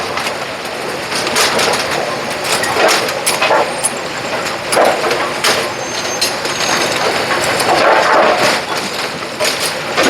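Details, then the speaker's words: Brunswick A2 bowling pinsetter after a motor contactor swap and deck-jam circuit check: motor drone with irregular clanks and rattles as the deck cycles. Normal pinsetter operation. "all right plugged in turned on rear switch is on and the Machine fired up there you go we got it"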